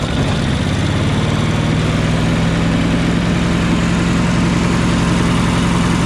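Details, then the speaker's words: Yamaha EF4500iSE inverter generator with no power output, running during inverter board voltage tests: steady, low, heavy drone that never climbs; owner thinks it isn't revving up to proper idle. Low engine speed, cause unconfirmed. "I should be getting around 250 volts maybe a little less or more because it sounds like the generator is not revving all the way up to idle"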